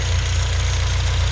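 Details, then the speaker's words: 2011 8th-gen Honda Civic Si after crank pulley replacement: smooth even low idle, no knock or wobble; quieter and more harmonious than before, when old pulley made engine hum; issue fixed. "Everything sounded a lot more quieter. So that thing was definitely making the whole ride and engine and everything humming and all types of noise."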